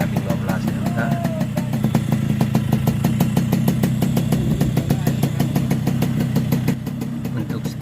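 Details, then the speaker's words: Yamaha RX King two-stroke after its over-ported block and head were replaced with new ones. Settles into a steady idle with even popping exhaust beats and no knock or rattle; mechanic believes power is back to 100%. "Saya yakin untuk tenagnya sudah 100%"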